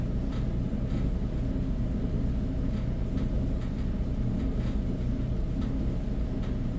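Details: Whirlpool dryer with a broken blower wheel: steady heavy rumble with faint, uneven clicks roughly every half second over the drum.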